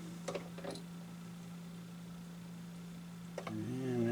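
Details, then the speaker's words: Restored 1970-71 Dual 1209 turntable, once mostly locked up, in automatic mode set to 12-inch at 33 rpm: an even motor hum and soft clicks, then a whir as start is pressed and the arm swings over, drops the needle and plays. Normal auto-start cycle. "And there it goes. It's over to the 12-inch position. Drops the needle. Starts playing the record."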